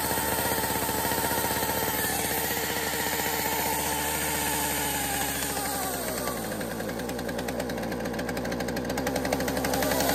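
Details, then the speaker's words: Two-stroke chainsaw test-fired, running unevenly with a whine over the engine, pointing to a worn, shot clutch. "But, you know, clutch is shot. Yeah, go ahead. So the clutch is shot. Did you see that? Did you hear it whining?"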